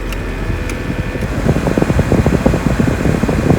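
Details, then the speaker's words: Mercedes A-Class W169/B-Class W245 heater blower after replacing the motor, which had made metal-to-metal squeaking and kept burning out the resistor: steady airy rush and even hum, no squeak, working on all settings. "Okay, so that's working well. I can hear the blower. it's working in all settings."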